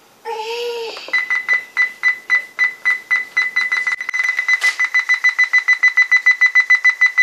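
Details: Toshiba Satellite P745-S4320 laptop: steady high beep repeating about three times a second while running, alongside WiFi turning off on its own and volume changing by itself; cause unknown.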